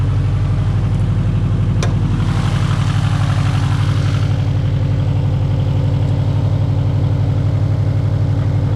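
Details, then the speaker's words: Subaru STI on its first drive out, cold engine idling: steady low beat about three pulses a second, slightly uneven and lumpy; owner suspects a miss, check engine light not on. "I kind of think it sounds like it has a miss but the check engine light is not on yet"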